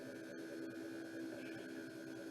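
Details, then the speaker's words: 1977 MGB, aftermarket electric fuel pump in the trunk, key on, engine not cranked: steady electric hum with constant mid-pitched whine, no surging or rattling; pump runs normally, though it sprayed brown, foul fuel under the hood. "So the fuel pump is back there in the trunk, a little electric aftermarket fuel pump, and I haven't tried to turn it over yet because as soon as I turned it on, or turned the key on, the fuel pump started pumping fuel and blew it all up under the hood."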